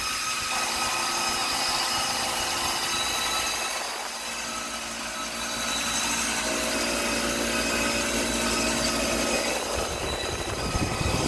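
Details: Copeland compressor making noise and cutting off, fan staying on: harsh, gritty rattling hum over the steady drone, rough throughout; compressor sounds unhealthy, cause unclear.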